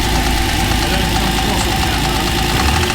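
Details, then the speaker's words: TVR Tuscan idling after the throttle bodies were balanced and the throttle return spring preload increased. A fast light tick rides over the engine note, seemingly top end and in the middle of the engine. The owner suspects it means head off. "still sounds top end. That probably means head off. But uh I think we knew that."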